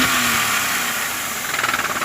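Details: Hyundai Eon 1.0-litre three-cylinder Kappa engine: quick regular knocking rising with revs; worn connecting rod bearings on cylinders one and three, quiet after repair.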